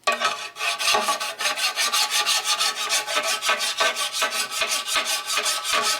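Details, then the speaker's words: Hand-filing a 12in surface grinder pan: steady gritty rasping about three strokes per second, quiet and smooth on flat areas, loud cutting over high spots and a protruding steel screw head; file cutting high spots. "When you get over here, it's nice and smooth, it's quiet. You get over here and hear it cutting. So it's cutting this area here."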